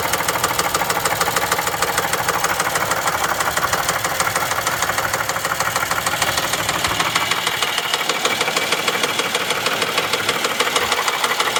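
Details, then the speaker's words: 2011 Chevy Traverse 3.6L V6 after hard start on a jump box: loud, fast metallic tapping about three a second over idle, with a smell; failed timing chains, codes P0011, P000D, P0024. "Ooh, that does not sound good. Ooh boy, that doesn't sound good at all. That smells. Oh no. I think that's an engine noise."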